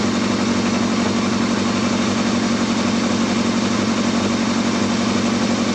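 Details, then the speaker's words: Yamaha Thundercat, reassembled with all panels and tank back on and 3 litres of oil: a warm, even idle at about three pulses a second with no ticks, knocks or leaks. Normal idle. "That sounds sweet now. I can't even hear no engine noise on that. That sounds lovely. That engine is sweet as."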